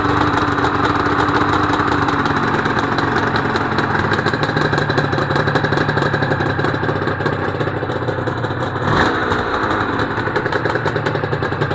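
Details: Honda NSR250R-SP MC18 250cc two-stroke grey import on JHA pipes, start of a restoration project, power valve servo turning: crisp, even ring-ding pop at idle with a clean exhaust note. Normal two-stroke idle.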